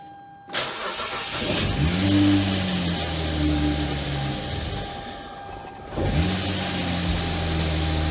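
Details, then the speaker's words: Engine on a wrecked auction car, just fitted with a new belt and belt tensioner, takes a few cranking attempts, then catches into a coarse, heavy tractor-like idle; almost no oil in the engine, battery charging. "But if you're wondering why this thing sounds like a tractor, well, it's kind of a funny story actually. There's no oil in the engine."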